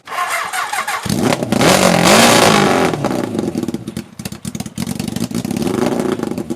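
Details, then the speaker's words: Half-scale NASCAR kart with a 750cc four-cylinder motorcycle engine, reviving after four years abandoned outside, running on sprayed starter fluid: one sharp rev, then it sputters and surges unevenly as it dies back; fuel-starved. "I had enough of hearing it run like that I want to hear this thing rev up and run for a little bit and it kind of started like it might have started pulling fuel just a little bit towards the end"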